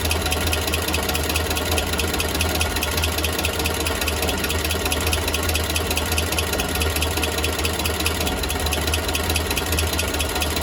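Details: Steady idle, after exhaust leak was fixed, with a loose, uneven rattling tick riding over the low rumble; abnormal engine noise, source not pinned down.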